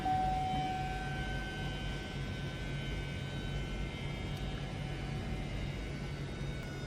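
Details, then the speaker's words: Chevy Colorado/GMC Canyon 2.8L Duramax LWN after a fuel filter replacement, ignition cycled to prime; a steady, even electric hum with a faint constant whine and no pulsing. The fuel pump is priming the system normally. "Once you have everything buttoned up under the truck, then you'll cycle the ignition switch several times. That allows the fuel pump to prime the fuel system. Hear the fuel pump running right now."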